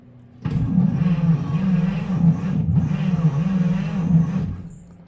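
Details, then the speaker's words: 1953 Pontiac engine with a full battery: low, laboured groaning cranking that rises and falls a few times a second, too slow to fire. Owner wonders if the starter is weak; slow cranking, no start. "Okay. It's going ruh, ruh, ruh, ruh. So, at least it's doing something this time. It's not spinning fast enough to fire."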